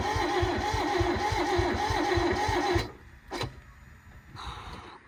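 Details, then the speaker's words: Barn-find Toyota AE82 Corolla 4AGE, no fuel leaks: steady starter churn at about four beats a second for nearly three seconds, no catch, then it quits; cranks but won't fire. "Oh shit! What that was, probably just a bit of a spit up. A bit terrifying."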